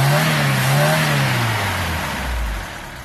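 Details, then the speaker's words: Mk3 Ford Cortina Estate with rebuilt carburettor, warmed up after choke: smooth, even note easing from a rev back toward idle with no stumble or flat spot; carburettor fuelling cleanly. "there you go Simone one carburetor rebuilt warmed up and idle in as it should it revs nice"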